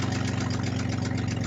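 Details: Toyota pickup engine, damaged after water ingestion in a water hole, held flat out to its death before an LS swap: rough, uneven running with steady fast tapping over the low rumble. The engine is knocking.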